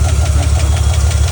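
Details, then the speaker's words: Truck engine: heavy low idle with a loud, steady, rapid tapping or knocking over it; cause not confirmed. "The truck has unfortunately the engine has developed a problem. There's a loud uh tapping noise or knocking noise."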